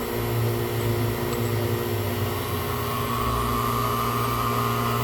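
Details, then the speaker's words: Fieldpiece vacuum pump evacuating an AC system, valve opened to admit air; steady drone with low hollow hum and faint rising hiss, pump exhausting steam from moisture drawn in through leak; vacuum pump air leak. "it it it it has a hollow sound to it and then it's starting to pump out Steam"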